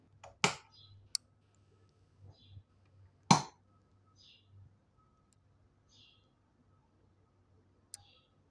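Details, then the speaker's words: TPA3116D2 amplifier board with added relay, no speaker connected, at power-on: sharp, dry clicks as the small relay pulls in; relay working normally. "I'm sure you heard the relay clicking. So that means that it's working."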